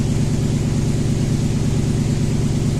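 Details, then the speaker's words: Toyota Tundra V8 with 282,000 km that sat for about a year idles lumpy and uneven; the scanner counts misfires on cylinder 3, traced to a failed ignition coil on cylinder 3. "you can see it's counting misfires on cylinder number three so we'll look for something obvious was cylinder number three"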